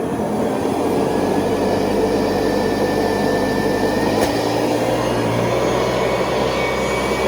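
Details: 1970s Hoover Convertible vacuum with attachment hose, motor shifting into high speed (400 to 625 watts): steady even rushing roar with faint constant hum, no surging or rattles; healthy motor at high speed, moderate suction.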